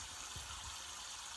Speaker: I hear that it is water leaking from right and there's nothing to shut that off